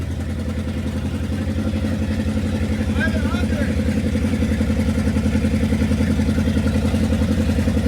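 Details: 1969 Dodge W300 Power Wagon, 440 big block, first run after storage: steady, even idle with a loud open-header pulse, no tapping, knocking or chirping; healthy, though a new carburetor is planned.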